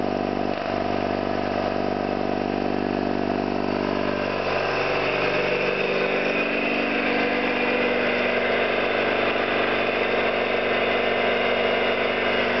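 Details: Orlík 2 JSK 75-2 compressor, one of first runs after owner's own overhaul (valves, seals), motor temporarily started in star due to house breaker; steady even drone, smooth piston beat, no knocks or air leaks, running properly.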